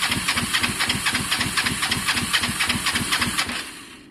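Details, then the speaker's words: Kawasaki ER5 twin being rebuilt as cafe bike, air filters just refitted: starter churns about four compression strokes a second without firing; owner suspects plugs need cleaning, later finds good spark on both and suspects fuelling/carbs; crank no start. "if this doesn't work i mean it didn't sound like it was kicking at all there"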